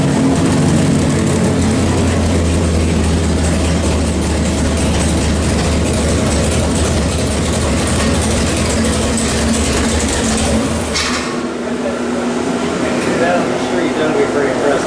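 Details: 451 stroker Mopar big block (1976 400 block) for 1973 Dodge Charger, Edelbrock Performer RPM aluminum heads, Sniper EFI, warmed to 160° on dyno; deep even roar under load from 4,600 rpm, drops off cleanly; normal engine dyno pull.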